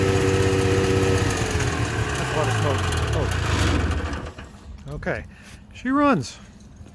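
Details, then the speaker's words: Subaru 360 van two-stroke on its first fire-up, outdoors, out of gear, with no throttle because the gas pedal isn't connected. It stumbles and pops unevenly for about four seconds, then dies down. Running rough; the owner suspects the timing is off. "like the timing's off but it actually fired up i'm gonna play with it here a little bit and see if we could run a little better"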